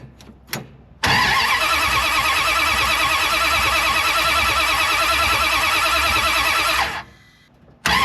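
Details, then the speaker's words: 1973 Dodge Charger 383 big block, parked after timing and overheating issues: the starter cranks evenly at about 3 beats a second for six seconds but it never catches. Fuel is smelled but there is no fire, so the coil is checked next. Crank, no start. "Once again, I smell fuel, but we didn't get any fire. So, I'm going to check our coil and make sure it's doing coil things."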